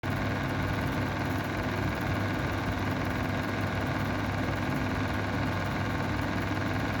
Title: Mistral square window exhaust fan bad bearings